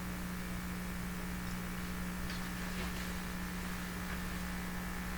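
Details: 1940s Canadian Red Cross tube radio just after replacing three wax capacitors and one electrolytic, fed about 96–99 volts: steady distinct low hum with light static and no stations received; power-supply hum, bad result.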